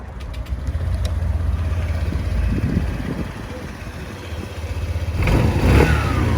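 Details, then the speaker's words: 2019 Honda PCX125 after full service (oil, spark plugs, air filter cleaned with brake cleaner, brake pads): starts and idles evenly, clean rev, no popping or stumble; misfire from brake-cleaner residue possible but absent. Normal start-up, no misfire. "And of course it didn't do it this time, but sometimes when you clean the air filters out, they do misfire for a little bit afterwards because you've got brake cleaner that's going in, which it's not that fond of."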